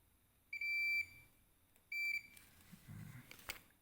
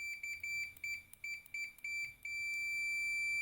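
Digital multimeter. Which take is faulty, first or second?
first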